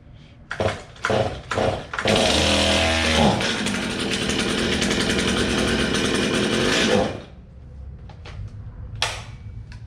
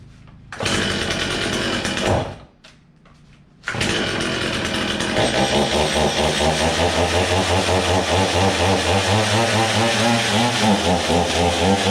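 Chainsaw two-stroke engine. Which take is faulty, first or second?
first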